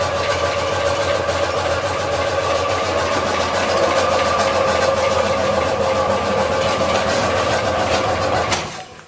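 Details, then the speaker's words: 2003 carburetted VAZ-2107, 91,000 km, after a DIY rebuild (new rings, bearings, chain, tensioner, guide) for high oil use: hard metallic knocking at about 3–4 per second over idle before shutdown; chain guide intact, cause deeper, still unknown. "Думали оборванный, поэтому такой звук происходит. Но где-то тут глубже собака зарыта."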